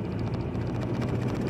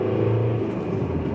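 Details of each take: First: 1.9 TDI diesel jerking between 2,800 and 3,000 rpm: heavy, lumpy drone with rough uneven pulse, running on only three cylinders; wiring in cylinder head suspected. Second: 1.9 TDI diesel, own car, after repairing the wiring harness inside the cylinder head (pump-nozzle injector contacts): full acceleration now pulls cleanly and evenly with no judder. Before the repair it vibrated between 2800 and 3000 rpm under full acceleration.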